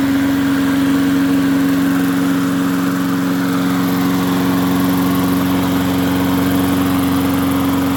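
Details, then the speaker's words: MTD 22-inch push mower, model 11-A084E029, after the spark plug wire was properly hooked up: the small single-cylinder engine runs at a steady, even beat with constant pitch and no misses. Owner notes slight vibration, possibly a bent crankshaft. "all well it's amazing what happens when you hook a spark plug up and it sounds a little bit better now"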